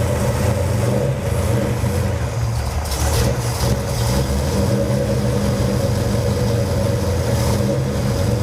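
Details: Cold 451 cubic-inch big-block Mopar in a 1978 Dodge D200 on first start with a new Edelbrock VRS 850 carburetor, out-of-box settings: deep, steady burble with lazy, slow idle and no misses; float levels look a bit high.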